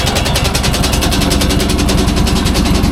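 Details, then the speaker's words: Leaf loader small single-cylinder engine with fresh 10W-40 oil and working fuel pump: steady running with an even rapid popping beat, no knocks or misses; healthy. "oh yeah that full fuel pump's working really good"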